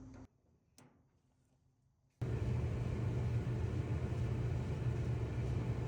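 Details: Whirlpool/Maytag dryer after new belt and drum rollers installed, previously squealing/grinding; after a quiet start the drum comes up to a steady, even low hum, stronger and smooth, no grinding or scraping; running normally.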